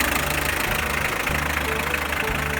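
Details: Hyundai HR diesel at steady idle with the power steering belt noise suppressed as a short-term test: only even diesel clatter, no squeal, confirming the noise came from the power steering belt.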